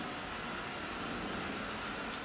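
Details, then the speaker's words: Eufy RoboVac 30C robot vacuum, 1500 Pa suction, running on hardwood floors: steady soft whir of brush and fan motor with faint hiss, smooth and even; quieter in person than on the camera mic. Normal running noise. "actually fairly quiet it sounds a lot louder from the camera mic than it really is it's 75 percent more quiet than traditional vacuums"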